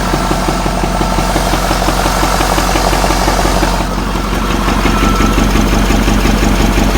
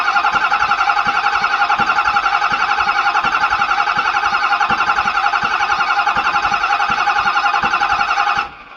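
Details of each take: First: Ford F450 6.7 Powerstroke diesel, batteries trickle-charged, reported knock and heavy front oil leak: steady clatter at idle but rhythm lopes unevenly about three beats a second; sounds like a miss, no knock heard; number five injector suspected, not confirmed. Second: Ford F450 6.7 Powerstroke, non-running with a knock, cranking during a compression test that read about 350 psi on cylinders 5 and 6: even starter cranking about 220 pulses a minute without firing; normal cranking.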